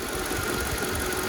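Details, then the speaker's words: 2004 Mercedes-Benz G500 W463 V8 after new valve cover gaskets, spark plugs and plug wires: steady idle with light even valve ticking, no knock or misfire, running on all cylinders; normal. "oh that's way better all right it sounds good now it sounds like it's running on all cylinders"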